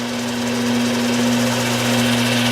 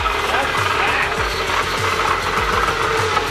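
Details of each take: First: Newly moved-in South Bend metal lathe, dirty, belt drive just engaged: steady, even low hum and smooth drone with no knocks or grinding, flinging oil; running normally. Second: Used Bridgeport milling machine, just moved into the shop and first powered on: loud, rough whirring with a harsh scraping edge over the motor hum as the spindle runs forward; worn spindle bearings that can be replaced.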